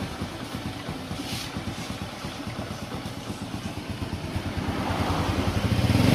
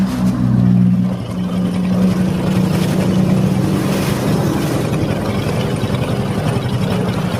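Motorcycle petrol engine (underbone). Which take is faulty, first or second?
second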